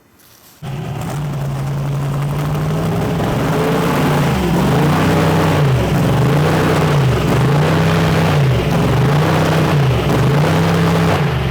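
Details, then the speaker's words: Twin-turbo Chevrolet S10 on its first drive since upgrades. Revs blip up and down over an uneven low drone; the owner feels the ignition timing sounds off although it reads advanced, and suspects crank or cam. Rough running when revving, cause unconfirmed. "why does it sound like the ignition timing so [ __ ] in it it's not it's Advanced I know it's not supposed to be according to this timing marker out here but when you rev it up it just sounds like it's the ignition timing is [ __ ]"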